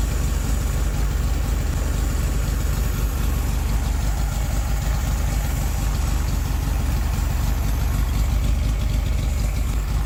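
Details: 1969 VW Beetle flat-four that had stopped running, after fitting a modified replacement ignition coil: steady low rumble holding an even idle with no obvious stumbles, though a miss is mentioned afterward.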